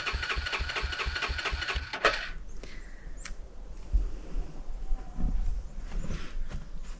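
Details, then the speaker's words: 1987 Four Trax ATV that sat 3–4 months into winter and already needed carb work: cranks with a steady rapid chug for about two seconds, then only clicks; it turns over but won't start. "so as you can see went to use my four tracks and it doesn't want to start which is not real surprising cuz it's probably been sitting here for 3 or 4 months"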